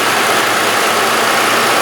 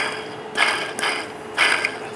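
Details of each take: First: Engine idling smoothly after the belt tensioner was replaced. The earlier abnormal squeaky noise from the pulley is gone; normal idle. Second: Removed belt tensioner pulley spun by hand after a squeaky abnormal engine noise: dry, gritty rasping in bursts about once a second, rough bearing; replacement pulley turns very smooth.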